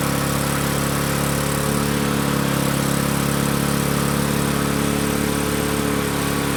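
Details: Barn-find Murray push mower with Briggs & Stratton engine, started on the shop bench after drill cranking: small engine screams at a high, steady pitch well above normal speed. Overspeed from a wrong governor spring; fix is unwinding the spring a little to lengthen it.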